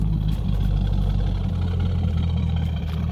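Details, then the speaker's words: Normal idle of a C5 Corvette LS V8 with a generic axle-back exhaust and no long tubes: deep, even low rumble with steady lope, truck-like note, no knocks or rattles. "Sounds a lot like my C6 did before I put the long tubes on it. So I always say that it sounds like a truck, and this one is no different."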